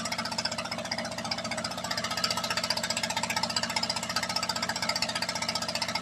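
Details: After an engine rebuild, the engine idles with a steady, even firing pulse and no skipped beats, so no misfire.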